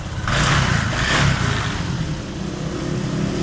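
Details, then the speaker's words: Honda Vario 125 with 12-blink fault, fuel pump now humming at key-on: engine starts and runs steadily with even low exhaust note and light throttle blips, no misfire; fixed after 12 V wire to FI system shorting to ground. "Coba starter. Walah, ini pala yang kanan nggak jadi. Nah, tuh. Udah nyala motornya."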